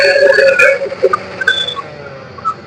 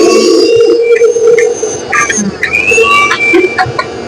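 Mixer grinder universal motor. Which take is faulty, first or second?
first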